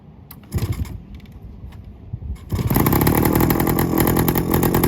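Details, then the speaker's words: 1972 Suzuki TS185 two-stroke, first start in 30 years with a new carb installed and the air boot not yet properly fitted: after failed kicks it catches into a loud, raspy, uneven crackle with sharp popping, rough running with an exhaust leak. "car got more exhaust coming out of the freaking leak than we do in the back"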